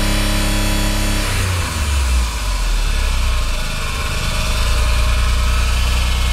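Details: Horrible abnormal engine noise, cause undiagnosed despite good compression, correct timing and VTC solenoids checked as working. A rough, uneven rumble at idle that swells as the revs rise.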